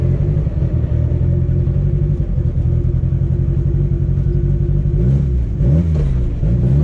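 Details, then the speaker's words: Car road test after a driveshaft install and upgrades: deep steady exhaust rumble with smooth rev blips, driven lightly with low power; no vibration or shudder, and the driveshaft feels smooth. "yeah it sounds good feels good no vibration feel test drive went good everything felt fine uh drive shaft felt smooth there's no crazy vibrations"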